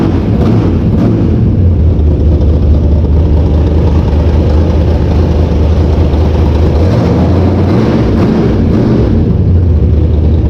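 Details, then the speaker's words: Mopar V8 race car after setting valve lash, changing carburetor jets and oil: deep, heavy rumble steady with clean blips, no valvetrain ticking or carburetor leaks; lash sounds right, running normally. "There's no leaks in the carburetor anywhere, and everything sounds fine. It's revving good. It sounds like our lash is good."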